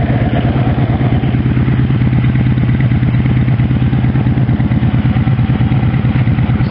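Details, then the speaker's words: 1984 Honda V65 Sabre V4, low mileage, owner says it runs great, started and idling around 750–800 rpm: deep, even, regular exhaust pulse with no misfires or rattles; smooth idle. "okay let's start it up it's only around 7 50 800."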